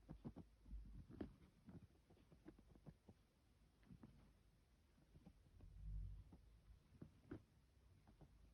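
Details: Vaillant ecoFIT pure 825 combination boiler: irregular soft taps and ticks over a low throb, with occasional deeper rumbling surges; cause unknown.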